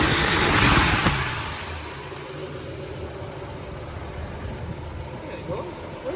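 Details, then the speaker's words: Ford Galaxie on a new battery after about half an hour of work, running on its own fuel: a loud burst, then a steady, even idle beating near 220 a minute, smooth; normal idle. "so that's about how long it takes to get an engine running in the real world and it really doesn't sound too bad now"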